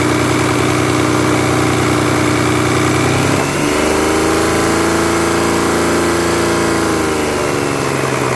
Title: Стук в двигателе mazda millenia kl 2.5